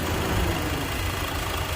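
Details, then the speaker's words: Engine idling with a steady, even rumble and no ticking: the EVAP purge solenoid, felt by hand, isn't moving or clicking, so it isn't purging. Check fuel cap warning persists after refuelling with the cap closed; solenoid needs replacing. "It's different now. I could hear the engine, but feeling this purge solenoid ticking, it's not moving at all. It's not making a noise at all. So it's not purging."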